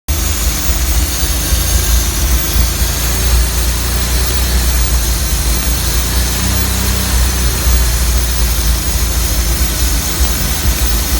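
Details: Slant 6 engine at idle: loud steady hiss over a low, even idle from a vacuum leak of unknown source.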